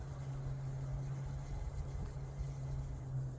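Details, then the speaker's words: 13-ft diameter homebuilt wind turbine just re-erected after replacing failed front bearing (both front and rear bearings and races), oiling blades and greasing; steady low hum in light breeze, alternator spinning and generating normally, no bad noises. "There she goes. And that sound means the alternator's working."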